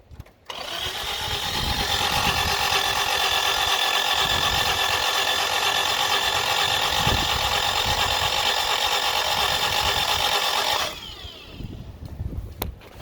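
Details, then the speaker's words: Toyota Tercel, 5-speed manual, 226,000 on the clock: starter cranks fast and evenly but never fires; suspected bent valve leaves no compression, head needs rebuilding; cranks but no start. "So it cranks fine, but because it doesn't have the compression, it's not going to fire up."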